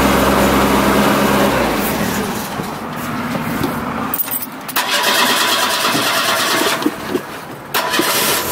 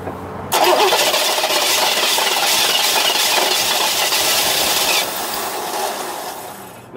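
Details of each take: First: cold start kind of not as cold as my usual cold starts we going to have to like gas it no I could have let off of that and it would have done it sooner Second: 1989 Trans Am GTA, 41,000 miles, sat two years: steady starter cranking about five seconds then winds down without catching; fuel pressure only about 20-25 psi versus at least 55 needed, weak in-tank fuel pump causing crank no start.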